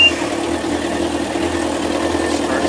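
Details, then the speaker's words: Yanmar 4JHE 44 hp marine diesel after valve seal change and injector rebuild with correct nozzles (wrong ones before), idling at about 1,000 rpm: smooth even hum, no knocking or misfire; much quieter than before. "It's actually a lot quieter than it used to be. I guess the fuel injectors"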